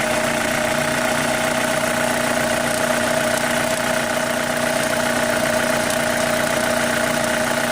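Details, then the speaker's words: 2005 Chevy Cobalt LS 2.2L with code P0304 (cylinder 4 misfire), noise appearing after restart, battery nearly dead: a loud idle with a fast light tick. The owner suspects a lifter; not confirmed. "Something's making a noise. I still think it's a lifter right here. It sounds kind of like one."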